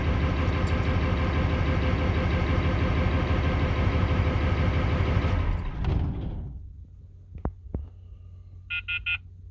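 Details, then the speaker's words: 1994 Ford 7.3 Powerstroke pickup, sat 4–5 years, earlier had a bad mechanical fuel pump: steady starter cranking about three beats a second for six seconds without catching, as injection control pressure builds slowly before starting. "All right, so you notice how long that took to build up while it was cranking."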